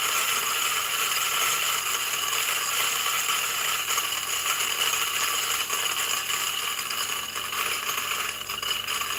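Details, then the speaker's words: New DF64 flat-burr single-dose grinder with first beans: quiet motor hum under light, uneven ticking as beans bounce in the throat (popcorning) instead of feeding; fix is fitting the cover on top. "okay so now because oh you can see some popcorning right so what you can do is you can install this cover this up"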